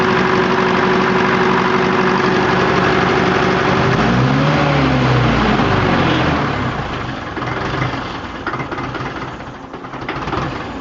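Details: SOM 30 B diesel engine: runs round but smokes heavily; idles with a hard, regular clatter about four times a second that persists through a brief rev; engine knocking, cause unknown.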